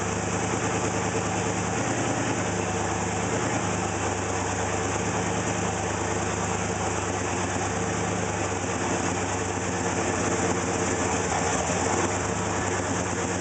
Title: 301 rough idle